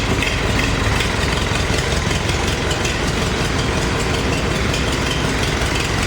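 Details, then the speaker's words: Farmall 350 diesel tractor with new used push rods: uneven loping beat, one cylinder dropping out at light or half load but firing on all four when lugged hard in 5th gear; number one injector suspected, not confirmed. "but as soon as you took a little bit of load off of it, or ran it about half the load, you could hear that dead cylinder, and it was just under a load."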